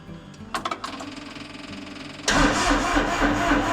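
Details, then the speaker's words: Massey Ferguson GC2300 diesel tractor after a -26 night, charger connected directly to battery and glow plugs applied: slow starter chugs about two seconds, then a louder, rougher roar as it catches. Stronger cranking. "sounds better, right? Put some more glow plugs on it."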